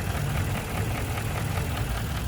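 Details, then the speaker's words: 2017 Ford F250 Lariat Super Duty, 6.2L V8 with automatic transmission, recorded in the open engine bay. Steady idle with a light, fast, even tick on top. Said to be a common Ford 6.2 noise from the intake runner, not an engine fault. "Now as you can see, there's a little bit of a tick. Now this is not an engine issue or anything like that. This is a very common Ford thing, especially on these Ford 6.2s. The engine is nice and healthy."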